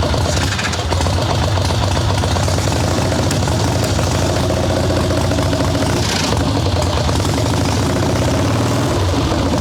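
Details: Harley ironhead Sportster XLCH chopper V-twin, Mikuni VM38 carb, idle/needle tuning on fresh plugs, cold wet day: uneven, lumpy, stumbling beat never settling; too rich, plugs still dark, owner suspects not only the carb.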